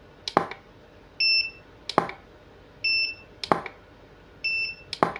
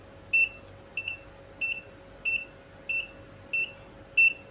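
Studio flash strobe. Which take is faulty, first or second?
second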